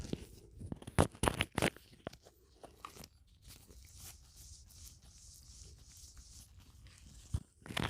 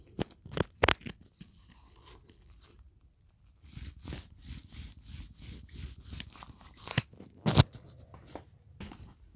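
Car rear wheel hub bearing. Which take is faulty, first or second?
second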